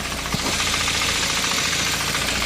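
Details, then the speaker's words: Nissan Primera P10 1.6 carbureted engine, warm, after engine restoration and gasket change: even idle with steady rhythm and no knocks, misses or hunting; normal warm idle. "c'est important que elle tourne après que son moteur est restaurée vous voyez le bruit là est très bien y a pas de pas de soucis inquiétant"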